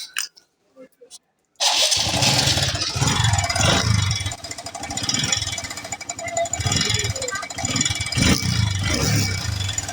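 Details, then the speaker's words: TVS Star City Plus motorcycle engine running with an uneven, tinny clatter over the beat, a timing chain rattle; the timing chain is to be removed and replaced with a new one. "दोस्तों आप मेरा पास है एक TVS star city plus इसका engine sound problem है देखिए"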